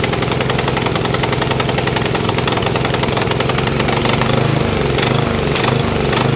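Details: Craftsman 13.5HP mid-engine riding mower with a replacement engine, new starter, battery and key. Uneven, lumpy running with no steady beat, speed wandering and surging, sounding worse than before. Cause undetermined.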